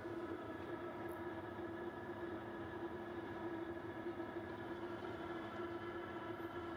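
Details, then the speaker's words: Newly installed Webasto diesel heater in JDM Isuzu Elf 4WD camper, fed from auxiliary tank, no muffler yet; quiet steady drone, even hum, no surging or popping; blowing hot, normal operation. "blowing hot i'm gonna get a muffler also"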